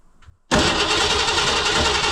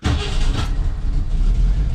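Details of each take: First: 1968 Ford Mustang, start attempt after about 20 years parked: repeated bursts of steady starter cranking, about three to four turns a second, never firing; crank no start because a wire was disconnected from the ignition coil. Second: 1968 Ford Mustang V8 restarted after first run in about 20 years parked, running off proper ignition: fires straight away and settles into a steady deep rumble with no misses or knocks; normal start and idle.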